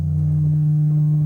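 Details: Audio-Technica AT-LP120XUSB turntable via Roxio USB converter into Dell computer at full volume: steady low buzzy mains-type hum, no music; fine on other computers, owner suspects the Dell, not the preamp.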